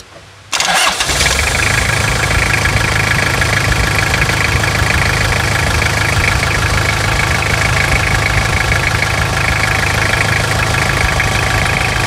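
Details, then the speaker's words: 1999 Toyota Hilux SR5 2.8 diesel, started first try on an auxiliary battery charge: steady, clattery diesel idle with a rough knock running through it; engine knock at idle, cause not determined. "E aí é muita melodia é muita melodia ou tá meio estralado ainda continua a melodia né"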